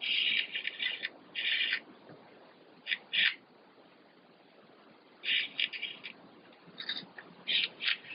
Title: Heckservo / Tail servo Savöx 1257 MG knarzt / creaking sound